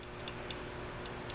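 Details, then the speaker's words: Coolster 70cc pit bike (Honda 70 clone), engine stopped, valve cover off: the bottom valve rocker is rocked by hand and gives light, crisp metallic clicks; the lash is probably close but will be readjusted. "Well, that's probably too much slop. And the bottom one, you can hear it clicking."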